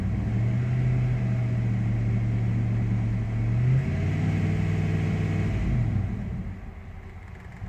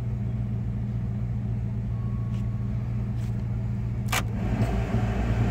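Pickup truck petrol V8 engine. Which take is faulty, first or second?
first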